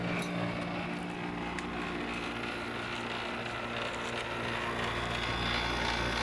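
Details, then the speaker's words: Maytag 5200 BTU digital air conditioner, found on the street, running: constant roar with a fast buzzy rattle about three per second from the loose rear condenser coil. "These may tags are noisy to begin with, but the uh the rear radiator is rattling quite a bit."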